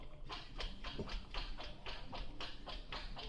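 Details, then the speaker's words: LS swap with late-model Cadillac Escalade gas pedal, engine off, key on: short motor buzz and click about twice a second as the electronic throttle body opens and closes cleanly with pedal movement. "if you can hear that throttle body opening and closing"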